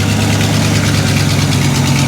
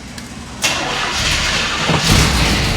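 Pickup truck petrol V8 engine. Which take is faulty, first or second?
first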